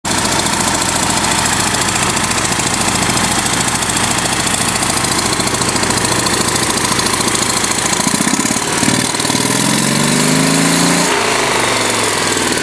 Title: ek first start of engine (bad exhaust leak)